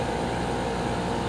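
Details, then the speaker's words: Window/wall 220V GE garage air conditioner, first startup of 2022 after winter, recorded outside under load: steady, even low hum and drone, no rattles or surges; compressor running normally, quieter than last year. "and that's what it sounds like under labor this year was very uneventful and extraordinarily predictable"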